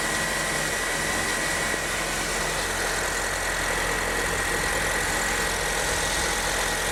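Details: 2008 Honda New Civic, first cold start of the day after power steering reservoir cleaning and fluid change: even, steady idle with a smooth hiss and no squeal or knock; belt-driven accessories sound healthy.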